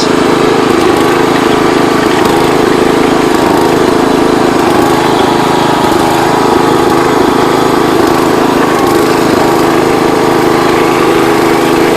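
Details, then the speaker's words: John Deere 210 Kohler single-cylinder after throttle fixed and idle/low-speed mixture screws adjusted, high speed not yet set: loud strong drone holding steady speed without surging or sputtering; normal running. "he said it idles really good so stay tuned alright guys got it running again this thing flies"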